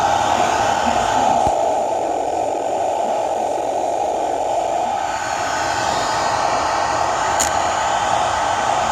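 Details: Noise circuit with a faulty PT2399 echo chip, discovered by accident: a steady, hissy rush centred in a mid-high band with no rhythm; bad PT2399 chip noise.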